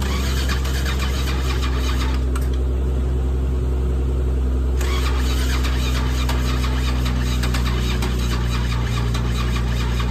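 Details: Old carbureted Toyota Crown: long heavy cranking about 2.5 turns a second with sharp pops, backfire erupting from the carb, never starts; timing, carb or compression suspected.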